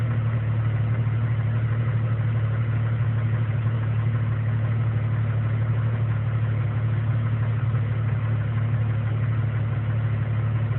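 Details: 1999 Jeep Cherokee Sport 4.0L I6 idling: deep rumble pulsing unevenly about three lumps a second; rough idle.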